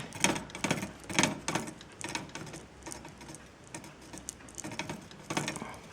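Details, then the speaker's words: Bicycle crank after changing the crank ball bearings: light scraping ticks about once per second with each crank turn, the chainring (cogwheel) touching the frame at one spot. "Okay, so the problem was the following. If the pedal is mounted here, then at a certain point you can hear it's touching."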